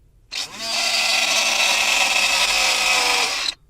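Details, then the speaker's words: Chezhiku CZK-6604 car vacuum cleaner powered from the car's lighter socket: small motor spins up to a harsh rasping high whine, fan scraping its housing inside. "So you see that something is very wrong in the inside."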